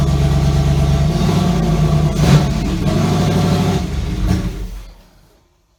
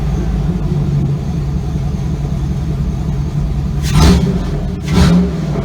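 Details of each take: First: Chevy Avalanche with LQ4 6.0L V8 swap at first start, no muffler: loud open-exhaust roar for seconds then dies; engine repeatedly stalled after 10-15 seconds, owner first suspected crank sensor, battery dead. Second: Chevy Avalanche with LQ4 6.0L V8 swap, muffler off with pipe hanging: deep steady open-pipe idle with two quick clean revs rising and settling smoothly; engine sounds healthy.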